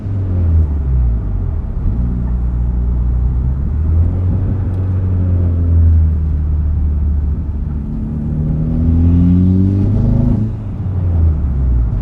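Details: Mitsubishi Evo X with intake, turboback exhaust, FMIC and Grimmspeed 3-port EBCS, 3rd gear at wide-open throttle, air around 58°F: revs climb then stumble and break up just past 3,000 rpm, also in 2nd; suspected misfire.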